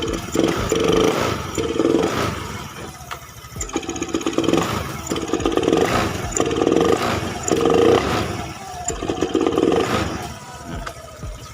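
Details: Honda Beat FI scooter, no fault codes, throttle body, fuel pump, EOT sensor, plug and injector already swapped; on snap throttle each blip rises weakly then falls off, stumbling and cutting out, fine on gradual throttle.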